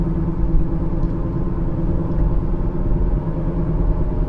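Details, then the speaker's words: 2015 Kia Sorento 2.4 on a test drive, also carrying code P0011 for cam timing over-advanced: deep steady droning rumble while driving, heard as a wheel bearing noise, seemingly front left. "i do hear a wheel bearing noise sounds like front left"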